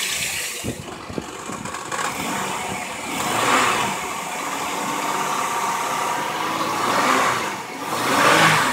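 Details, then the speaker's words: 1999 Pontiac Montana van after fuel pump replacement, good fuel pressure: engine runs smoothly with a couple of light revs rising and falling cleanly, no stumbling or misfire; up and running normally. "There we have it. Up and running."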